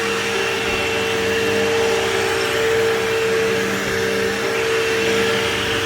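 Steady, even motor hum with a constant mid-pitched whine and airflow rush; the vacuum runs smoothly and sounds healthy.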